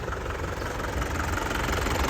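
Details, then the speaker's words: 2003 Isuzu Panther LS diesel, engine bay dry with no leaks, just started: steady, even diesel clatter at idle with a smooth low rumble, no stumbles or shaking; healthy, stable idle. "Alhamdah, mesinnya masih stabil dan suaranya renyah kas penter ya. Dan mesinnya tidak pincang ya, tidak goyang gini artinya mesinnya tidak pincang."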